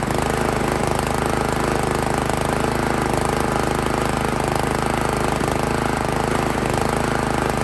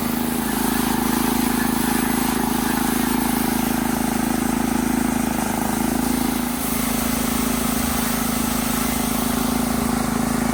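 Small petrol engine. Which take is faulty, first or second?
first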